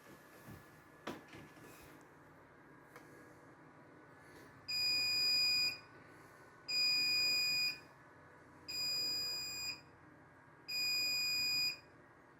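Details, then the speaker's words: Computer at boot after swapping a drive in the RAID array: shrill steady beeps about a second long repeating every two seconds; controller reports two virtual drives, one degraded. "Two virtual drives, one degraded."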